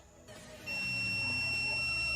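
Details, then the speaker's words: LG MH7570 microwave brought in for loud noise, magnetron tested with multimeter: a steady high beep holds as the probe goes from terminal to case, showing the magnetron shorted to its housing, while a good magnetron stays silent. "Em Curto totalmente Em Curto vocês estão percebendo aí ó tá bipando ó olha aí ó pode ir para qualquer lugar"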